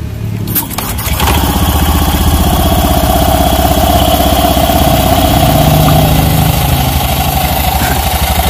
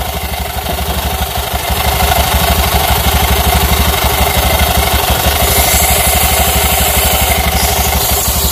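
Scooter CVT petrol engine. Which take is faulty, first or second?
second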